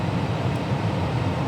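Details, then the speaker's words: Armstrong furnace with Lennox variable-speed blower motor after replacing the failed inrush-limiting thermistor: deep, even air hum, no rattle or scrape, at about 1,000 CFM and speeding up; furnace fixed. "it is currently spinning fast enough to transfer about 1,00 cubic feet per minute. Um variability is working great."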